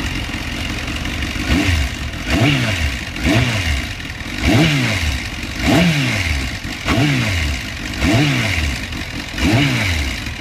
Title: Kawasaki ZX10r 04/05 seltsames Motorgeräusch